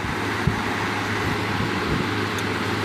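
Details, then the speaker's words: Vintage 15-inch Lasko floor fan after blade tweaking, running steady with an even rushing and a low constant hum and minimal vibration, on high at about 117 V and then on low. Normal running. "minimum shake let's turn it down to low still very little vibration puts out a good volume of here so I think this thing is done"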